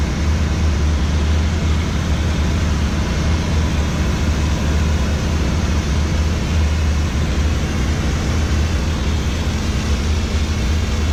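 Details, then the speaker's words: Machine in steam mode, burner heating up with wet steam starting to come out, said to sound a little funny; steady low pump-and-burner rumble with rougher hissy edge; normal steam-mode operation. "You can see the steam starting to come out, and it's a wet steam. You'll hear it, it'll start to sound a little funny too."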